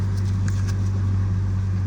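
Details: 2011 Hyundai Sonata 2.4 L after replacing the steering coupler, wheel turned fully left and right: only a smooth, steady engine hum with no clunks; normal quiet steering after repair.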